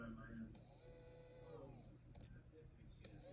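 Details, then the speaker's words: Furitek Komodo RC motor run with gears disconnected, unloaded, at crawling speed; quiet whine wandering in pitch with ratchety clicks, gone at slower speed and jumps when sped up; owner suspects a bad motor. "I don't know, but that speed right there that it makes this sound is like perfect crawling speed."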